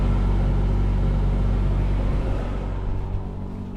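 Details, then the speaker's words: Truma Aventa Comfort roof-mounted caravan air conditioner in 30–35°C heat in the South of France, compressor on, fan turned back to speed one: low, steady hum with no rattles or squeals, not too noisy; fan two would need raised voices; normal running. "so again not too noisy but i think if you got it on fan two you wouldn't really be sitting in there having a conversation you'd be voices would be elevated"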